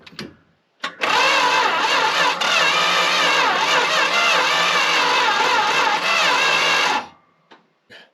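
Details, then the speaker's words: About six seconds of steady cranking with starter gear whine on a long-sitting Dodge W300 4x4 dump truck, choke closed, no fuel added; engine spins freely but never fires, as expected. "so it sounds like a chrysler turning over with the gear wind of the starter so that's going according to plan"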